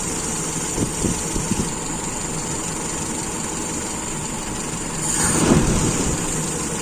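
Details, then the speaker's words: Carburetor with a very small idle jet, idle mixture screw closed back in: even idle, quick throttle blip, revs drop and settle cleanly without stumbling; still stable, idle mixture set right. "ini kita gas terus kita lepas masih stabil"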